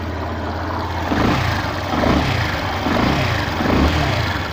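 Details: 2016 Yamaha Fazer 150 single with an engine noise blamed on the stator, apparently with the stator's two-white-wire connector unplugged: it revs up and down smoothly with no extra rattle or whine. The fix is a replacement stator, preferably original Yamaha.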